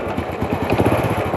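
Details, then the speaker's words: Honda Wave 100 U-box small single burning oil with no power, idling: soft quick clack on each firing pulse; suspected worn clutch rubber dampers, not yet opened; also slight cam chain and tensioner noise, piston rings due. "ตัวนี้เพราะมันมีเสียงดังที่ลูกยางคัทชเลยได้ยินมั้ยครับเสียงเบาๆกัก"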